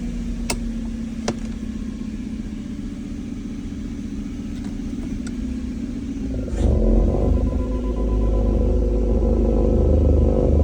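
Smooth idle, then a sudden deeper rumble with a steady knock about four times a second once it's in gear; clear vibration-related knocking.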